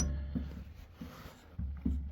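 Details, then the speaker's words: Creworks 8x16 lathe carriage shoved by hand before adjustment: a few dull loose clunks; carriage play from loose gib screws underneath, one completely loose, to be adjusted. "Carriage plays coming from so from the top side this is where we're adjusting is right here"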